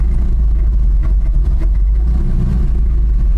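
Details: 1989 GMC Sierra 3500 350 V8 with HD 400 transmission, just started after long cranking: lumpy idle with a stumbling miss that comes and goes.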